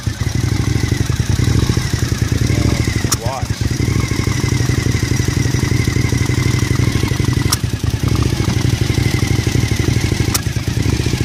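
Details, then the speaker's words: Engine with throttle-body vacuum lines, the canister and a sensor connected and a check-engine warning showing: uneven, lumpy running with an irregular pulse under the exhaust note, a rough-running engine of unknown cause. "I'm going to show you what it sounds like it sounds horrible with the vacuum lines in place where they're supposed to be"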